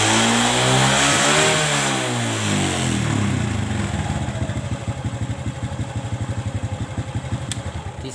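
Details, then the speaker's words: Kawasaki ZX motorcycle after carburetor vacuum and idle adjustment to cure high-rpm popping and midrange hesitation: picks up cleanly on gentle throttle, then drops back to a steady, even idle around four beats a second with no stumble. "sini sudah oke dan janganlah langsung kita geber kita Gas pelan sedikit-sedikit kita rasakan Apakah gelas gas polanya ada brebetnya atau tidak"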